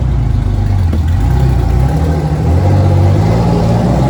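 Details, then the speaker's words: Detroit Diesel 6-71 in a vintage GM bus, running with the old restrictive exhaust removed and no exhaust fitted: deep, loud, raw bark with heavy low rumble rising when revved, open exhaust. "So I'm going to drive it over there with no exhaust whatsoever. Kelly's going to go ahead and start it up."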